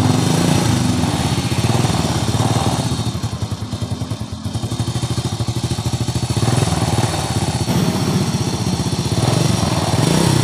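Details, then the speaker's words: 2001 Honda Supra X motorcycle idling: fast, dry clatter on every beat around the cylinder head, steady with the engine; rough rattling noise, cam chain, tensioner and valve clearance to be checked, cam chain found tight. "Ya, masalahnya motor ini mesinnya bersuara kasar, bunyi kemerasak. Ya, langsung saja kita hidupkan."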